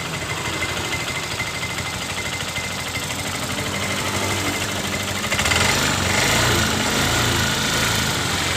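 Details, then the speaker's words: Yamaha Mio M3 scooter idling with a loose, uneven knocking rattle from the left CVT case, about three knocks a second; the noise disappears when throttle is applied; the scooter is under-serviced. "keluhan dari pemiliknya motor ini suara kasar di bagian bak yang di sebelah kiri ya teman-teman"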